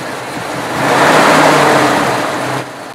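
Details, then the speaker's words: 1937 Chrysler Imperial straight eight with 25,000 miles, after long damp storage and rework of the ignition, points, distributor, wiring and valve adjustment. Revs up smoothly and settles to an even, steady note with no knocks or misses; normal running. "to hear it run and start amazing yes the car has 25 000 miles but with the storage and the dampness and everything uh for it to start and run as well as it does"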